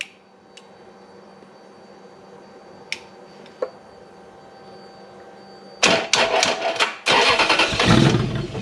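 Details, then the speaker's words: Toyota V8 3UZ-FE with an immobilizer code after a dealer bricked the ECU: quiet clicks, then the engine fires with a few ragged bursts and quickly cuts out, as the immobilizer shuts it down. "now if you've got an immobilizer issue and you've just fired it like that i try to start it again it'll just crank just completely dead"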